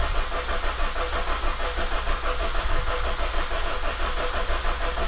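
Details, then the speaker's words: 2000 Honda CR-V after head reassembly and oil pan work, distributor disconnected, cranking until oil light goes off to confirm oil pressure: even, rhythmic cranking with no grinding or hesitation; normal cranking. "and then i'm going to spin it over crank it over until the oil light goes off on the dash making sure that i have oil pressure"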